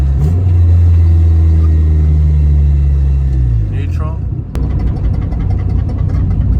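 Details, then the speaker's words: Honda Civic coming to a complete stop: engine drone fades, then one sharp clunk from the rear, also heard over bumps and turns; worn-out rear upper camber arm bushing. "if you guys have seen when I'm in the car and I'm driving and I take on a bump a hump a turn and you hear this noise yeah the rear upper camera arm here it's gone not even shot that bushing is gone"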